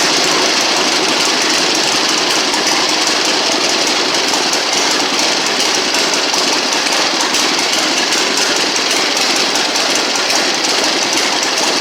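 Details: 1960 Harley-Davidson Sportster Ironhead, unused since 2010, first kick-start in about 10 years after magneto points/condenser check, carb service, fuel flush with fresh gas, timing and points set: loud, busy, rattly, uneven lumpy air-cooled V-twin idle that keeps running steadily; normal idle.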